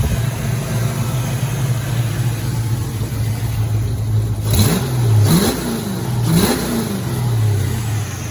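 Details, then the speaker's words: 1986 Ford Mustang GT, original-mile car, sat for a while; first start after adding about seven gallons of fuel and changing cap and rotor: lumpy, uneven idle with quick throttle blips, sounds like it's missing; still rough, cause unclear. "Uh-oh. Kind of sounds like it's messing though."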